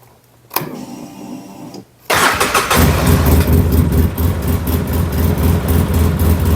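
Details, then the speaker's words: Polaris Sportsman 700 started after an oil change with 2 quarts. It cranks, catches and settles into a lumpy, steady single-cylinder thump about four a second: normal idle. "Just kidding, these things just kind of idle like this."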